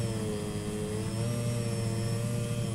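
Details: 2008 Peugeot 206 1.4 at idle: several thin constant tones humming over low engine note, owner reports fuel pump whining loudly and lights flickering; cause unknown, mechanics couldn't find it.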